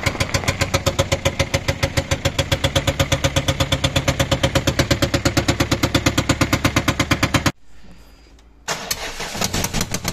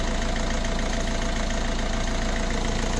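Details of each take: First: Fiat Scudo 1.6 HDi diesel idling with a loud, fast, even valvetrain clatter; worn rocker arms and hydraulic lifters, fixed by replacing 16 lifters, 16 rockers and camshaft. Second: Fiat Scudo 1.6 HDi diesel after repair idles evenly and quietly with a steady low thrum; the earlier top-end tapping came from worn rockers, fixed with 16 new hydraulic lifters, 16 rockers and a camshaft.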